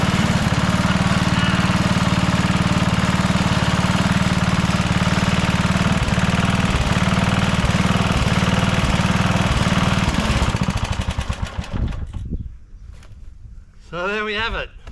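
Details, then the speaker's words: Rover Ranger ride-on mower idling in neutral after no-spark repair (points cleaned and gapped to 20 thou, coil gap set, flywheel cleaned, carby serviced): steady, even single-cylinder thumping at constant speed for ten seconds before shutdown; runs like a beauty. "a long last part four is finished we've got the mower started it runs like a beauty"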